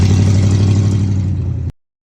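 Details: 1992 Ford F150 XLT after replacing the throttle position sensor (TPS) on the throttle body to cure hard or no-start issues: steady, even low idle with a smooth regular beat, no misses or knocks, then shut off; engine healthy.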